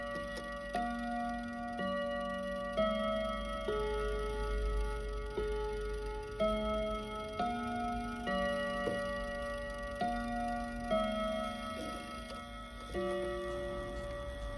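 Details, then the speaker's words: Kienzle Westminster chime mantle clock after oiling: hammers strike clear bell notes about every two seconds but tune comes out jumbled; hammer collectors need altering; chime sequence out of order. "ready after three all right now it's but not necessarily in the right order but we'll call it progress for now"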